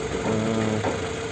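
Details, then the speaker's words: Toyota Camry 30-body, freshly repaired engine: idle with a light fast sewing-machine tick over a steady hum; owner complains of extraneous engine noise and less pull than before repair; cause not confirmed. "человека жалоба посторонний шум в двигателе и тяга не такая как до ремонта была тяга"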